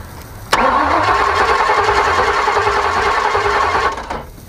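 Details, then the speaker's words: Ford Maverick converted to junkyard EFI cranking without starting: steady starter churn about 3.5 turns per second, never catching; injectors not firing because the ECU had no power, traced to relay wiring. "all right so the injectors ain't firing it ain't gonna fire"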